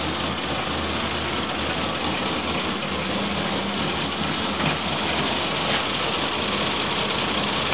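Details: Volvo 965 2.5 brought back from the dead: uneven, lumpy idle with a hissy top end, the rhythm wandering instead of ticking over smoothly; rough idle.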